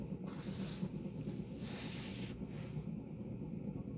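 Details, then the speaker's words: Vintage Berni (Panama copy) ceiling fan running at speed (about 0.47 A, 40 W): low hum with an uneven gritty rumble; owner suspects corroded, rusted ball bearings are making the noise. "Yeah, there's like actual corrosion on the ball bearings. I think that's making that noise."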